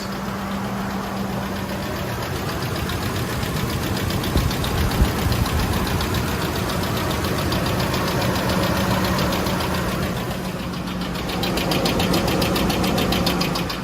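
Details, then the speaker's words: Ford F-150 5.4L 3V Triton V8 at idle after startup: loud, steady, sharp valvetrain tapping from the top end, about three to four taps a second, heard on the passenger side; owner suspects failed roller followers or misassembly, not confirmed. "The loud tapping noise on startup, and it's constantly there afterwards."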